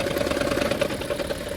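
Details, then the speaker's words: Toyota Prius engine: uneven lumpy running with a steady mid-pitched drone that returns when the coil's connector is plugged back in and stops when unplugged; failing ignition coil misfire, coil to be replaced. "ये जैसे ही grip plug in होता है आवाज बहुत ज्यादा बढ़ जाती है। मैंने बंद किया आवाज बंद हो गई। मैंने लगाया आवाज आनी स्टार्ट।"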